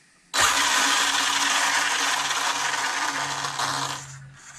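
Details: Arrma Limitless RC car, still cold, AVC working, brake set about 50: smooth, even high-pitched motor whir that spins up quickly, holds steady and winds down cleanly. Drivetrain healthy.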